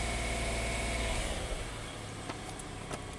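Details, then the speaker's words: 2016 Hyundai Santa Fe just after replacing broken GDI injector #5 with new OEM part: even steady idle with no misses, knocks or stumbles while smoking heavily; normal idle. "Okay, runs smooth, that's good. We'll probably start smoking quite a bit."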